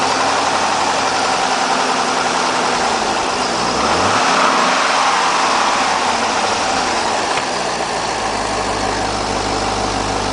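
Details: Idling engine with a dull, regular knock about three or four times a second under the hum; owner suspects rod knock, not confirmed.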